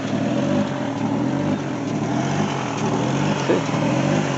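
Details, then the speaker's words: 2002 Chevy Trailblazer with check engine light and code P0507 at idle: RPM needle swings up and down and it sounds funny, an uneven hunting idle. Fixed by replacing throttle body, one ignition coil pack and fuel regulator. "So this is one of the complaint by the customer, that the RPM is going up and down. And also it sounds funny."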